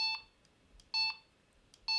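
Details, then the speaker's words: Delkim bite alarm from the new range, in setup mode while a tone is selected with button one: three short, bright two-tone chirps about one second apart, clean and steady; the alarm sounds its chosen tone normally. "i can go up and down the tones but if i let go and press it will remember the tone so if i set the tone i like say i like that"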